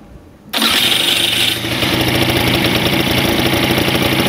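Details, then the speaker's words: Pegasus Sky 50 scooter after a light accident: brief starter whirr, then the small engine catches and settles into an even, quick idle with no knocks or rattles. Sounds healthy; the earlier bad noise did not reappear. "das hört sich alles sehr gut an"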